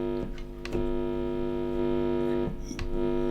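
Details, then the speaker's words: Guitar amp with the tip of a guitar cable isolated in a plastic bag and a generic wall-wart power adapter held near it: a steady, harsh electrical buzz with a few clicks. The hum and buzz are induced into the guitar signal from the adapter and its wires. "can hear how noisy that is so a lot of noise coming from the wall and from the wires as well"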